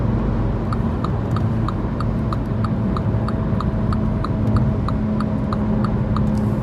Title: Mini f56 recurring humming noise , Any idea what this sound could be ?